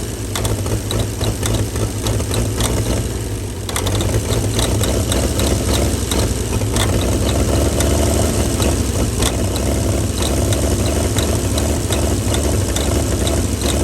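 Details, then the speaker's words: 1937 Chevy truck six, sitting about 45 years, steady deep rumble with even firing, no knocks or misses, idling on ether/starting fluid; carburetor froze up from running on ether that long, but it runs. "woo she runs the carburetor froze up from running her off the old ether that long but she's a runner"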